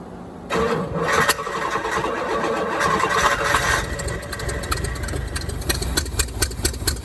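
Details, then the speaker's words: 1987 Corvette C4, TPI removed and marine carburetor fitted, bottle-fed fuel: catches, then runs lumpy with stumbles, pops and a backfire; rough running, timing suspected slightly off. "Whoop, backfired. Yeah, I think I got it. Timing's a little off. I gotta readjust the timing."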